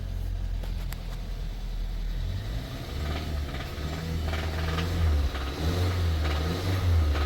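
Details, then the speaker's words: Towed-in 2017 Kia Sorento 4-cylinder, possibly turbo, started on a booster pack: a deep, uneven rapping under the idle rumble, knocking with the engine; engine knock, needs a replacement engine. "You keep a knocking, but you can't come in. So that is definitely an issue. So looks like this thing's going to need a motor."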